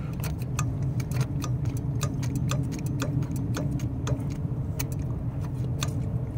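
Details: Lennox rooftop unit with no heat and code 66, after cutting back the heat-toasted inducer pressure-switch hose and clearing the switch. Sharp clicks in uneven bursts over a low hum: the pressure switch is clicking normally.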